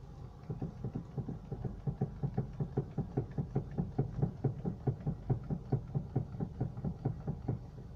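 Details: Honda Civic 4D electric steering rack knocking dully and regularly, about twice a second, from broken plastic rack bushings; the shaft is worn but still drivable.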